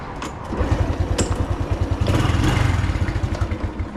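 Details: Honda motorcycle after replacing a loud fuel pump motor with an aftermarket one; even, steady single-cylinder putter at about three beats a second with no pump whine or buzz, sounds healthy.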